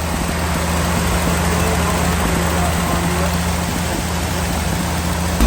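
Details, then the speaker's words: Lull telehandler fitted with a Mopar slant-six electronic ignition module and distributor: a steady, smooth, even idle that runs noticeably fast with no misses. The high idle came from timing being a little advanced, later corrected with a timing light. "by timing was a little bit Advanced on it so it was giving us that old high idle"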